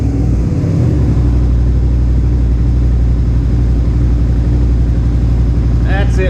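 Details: Suzuki SV650S carbureted V-twin, warm, just after carburetor synchronization: deep, even loping idle with no hunting or misses; carbs sound well balanced, normal idle.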